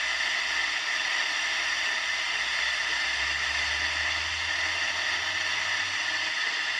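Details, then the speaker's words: Unitra Eltra Alicja R-701 radio (black, Eltra Bydgoszcz) with wire antenna, FM (UKF) on first and second station presets: head retunes but only steady hiss, no station received; no FM reception before signal-generator test at 65–73 MHz. "która głowica się przestraja lecz niestety cisza dla formalności jeszcze programator drugi niestety również cisza tak więc w chwili obecnej nie odbieramy Nawet żadnej stacji"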